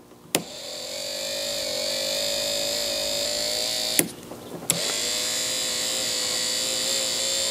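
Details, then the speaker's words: Porsche 3.2 Carrera power window regulator motor after disassembly and reassembly, wired up to test: steady mid-pitched electric whine that stops, clunks and restarts smoothly without grinding; works normally, possibly still slightly slow. "it does work i wonder if it's fast enough sounds like it's getting better i think that sounds pretty good"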